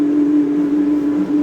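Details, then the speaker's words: Electrolux LT 12B 12 kg washing machine on turbo-dry spin: loud steady single-pitch drone during fast spin, no knocking, worse in long spins; owner suspects the bearing, unconfirmed. Loud spin-cycle noise. "Olha só, tá centrifugando. Esse barulho é mais na hora de centrifugar, ó. Eu botei na turbo secagem, é pior ainda, que dura mais tempo centrifugando."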